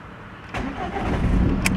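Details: Ford Mondeo MK4 after ignition switch replacement (key previously wouldn't turn fully to start): short crank catches straight away and settles into steady idle, clean start with no hesitation.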